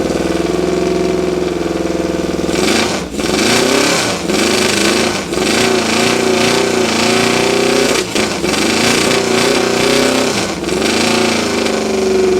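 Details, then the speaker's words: 1972 Honda CB750 K2 with straight pipes, 14,061 miles, possibly fuel-starved from a plugged petcock screen; revs and returns to steady idle with no piston slap or valvetrain noise; tight, normal idle and revving. "motor sounds nice and tight I don't hear any piston slap or any valve train noise"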